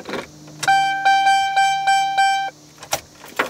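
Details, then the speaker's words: 2003-era GMC/Chevy truck with the factory Class-II radio removed, substitute beeper plugged into the harness: six crisp, evenly spaced mid-pitch beeps; warning chime for low oil, low fuel and similar works normally. "okay so it beeps it beeps to tell us that you know we're low on oil low on gas that sort of thing"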